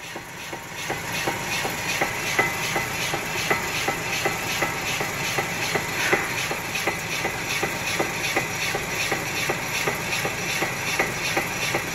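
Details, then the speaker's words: Chevrolet Malibu, right front wheel jacked up, traction control off: regular sharp clunks, two or three a second, as the wheel is rocked by hand, from play in a loose, worn front wheel bearing. "seems painfully obvious what it is now doesn't it"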